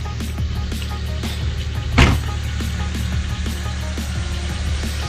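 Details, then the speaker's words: Toyota Paseo after fixing water in cylinder #1 and refitting the spark plugs and wires: an even, steady, smooth low hum with no misfire or stumble, running cleanly on all cylinders. It drives normally. "well the windshield super dirty but I be running just fine it pulls like it always used to which is a very fast but I mean it hold and you know it's running fine"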